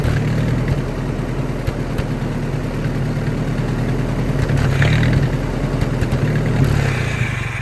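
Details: Old Army skid generator with Willys engine and electric fuel pump, running on a carburetor prime: low, uneven thumping with irregular firing that sags and fades; suspected fuel starvation from a blocked carburetor.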